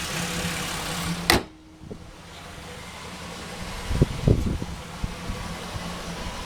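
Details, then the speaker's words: 2006 Buick running only on gasoline vapor from a homemade vaporizer, both valves shut: steady even low idle without stumbling after a brief clunk; normal idle. "okay it bubbling away can hear my car running just fine"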